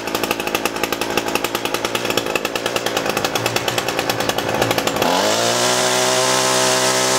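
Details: Echo SRM-225 straight-shaft trimmer, wouldn't run after storage; after diaphragm and air filter replacement, hidden jet adjustment, restrung: buzzy pulses climb cleanly to steady high-pitched scream, no stumbling or surging; normal running.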